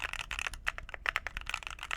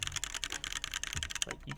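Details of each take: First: Phoenix45 keyboard, red aluminum case over brass weight, 2U backspace: crisp even clacks in quick bursts with no rattle or hollow ping, ten times better. Normal typing sound. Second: Phoenix45 keyboard, red aluminum case over brass weight, built without foam: quick irregular key clacks with a faint metallic ring after each stroke; desk and desk mat may add some ping, but the board itself pings. Case ping.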